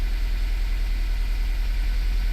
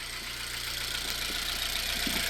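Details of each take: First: 2016 Honda idling with check engine light on, trembling with an uneven, stumbling, kicking pulse; engine misfire, one cylinder dropping out. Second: Engine after misfire diagnosis, with the spark plugs tightened and the coil reinstalled, check light still on: a steady, even idle with a smooth low pulse and constant hiss, no stumble or missing beat; it now runs smoothly.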